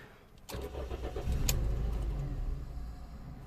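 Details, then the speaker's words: Toyota Yaris 1.3 with code P1310 (igniter circuit), immobilizer already repaired and coils swapped, ECU plug wires tampered with: the engine catches with a burst, runs rough a second or two, then stalls; traced to a cut igniter wire. "now it starts but it's just as you can see I'm sorry to turn the key run don't know if you can hear it it starts but it should sound straight away"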